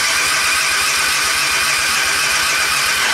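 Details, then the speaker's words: Suzuki Intruder 125 V-twin motorcycle, cold engine: starter cranks with a steady churning whirr and rhythmic pulses but never fires; hard starting, battery measured about 11.95 V, owner suspects a common factory fault. "włączę zapłon No i próbuje kręcić silnikiem tam stanie bo się zimny"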